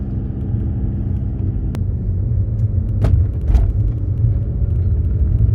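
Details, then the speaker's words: Audi driven on the road after replacing the front drop links to cure a front-end clunk over bumps: steady low road rumble with no knocks or clunks, steering smoother; front suspension now quiet. "Smooth. Excellent. This is a good sign. Yes. Actually steers smoother as well now."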